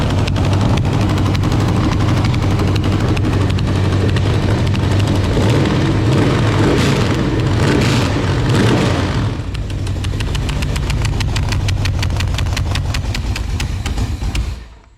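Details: Marketplace LQ4 6.0 V8 (circa 1999–2000, iron heads) with temporary exhaust slipped on: strong rev to fast idle, sharp puffing tick each firing pulse, bottom end and valvetrain quiet; exhaust leak.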